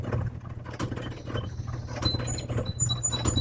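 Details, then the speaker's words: Electric dryer running: low drum rumble with quick, high chirping squeaks repeating as the drum turns; an abnormal running noise. "What do you do when you come out to your dryer and you turn it on and it makes that noise?"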